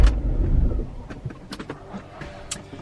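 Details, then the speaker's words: 2000 BMW E46 323ci coupe, cranking after key priming: brief low starter churn then scattered clicks, engine turns over but never fires; owner suspects the fuel pump, fuel pressure not yet checked. "Well, there you have it, folks. She doesn't start. So basically, I've got to figure it out. Got to figure out what's going on with it. Pretty sure it will be the fuel pump."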